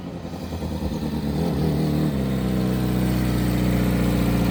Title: Need new silencer 🫢| Loud noise causes trouble for neighbors 😶‍🌫️